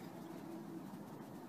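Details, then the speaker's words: Pool spa fitting heard through a hydrophone: steady rushing hiss with no rhythm, loudest around the fitting, shallow; pool leak at the fitting. "and we have a nasty leak right here and it sounds like it's around the fitting it doesn't sound like a deep leak but we're going to take a look with dye in a minute"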